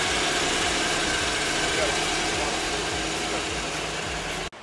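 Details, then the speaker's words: 1994 Mariah boat with a 350 small block Chevy V8, restarted after sitting, running at idle: even, steady idle with a regular low pulse under loud exhaust and water hiss; sounds good, normal idle. "We got a 350 small block Chevy motor here. So it sounds good."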